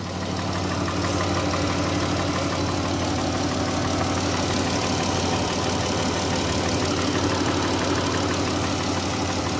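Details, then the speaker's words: 2015 Dodge Grand Caravan 3.6 L at idle, no check engine light: a faint, quick tick about three per second from the rear/right bank; broken rocker arms and hydraulic lifters, later replaced. "there is a tapping sound in this engine. Okay, listen. See? You can hear it a lot better now, and we don't have a check engine light on."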